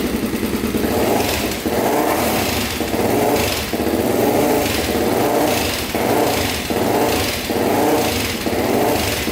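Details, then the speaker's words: Honda 400EX with 416cc big bore, just fitted with a Stage 2 Hotcams cam and a 158 main jet: single-cylinder thumping idle with throttle blips and light valve ticking; cam tick considered normal, started right up. "you can hear the ticking on the cam but that's normal everyone says so started right up no issues there"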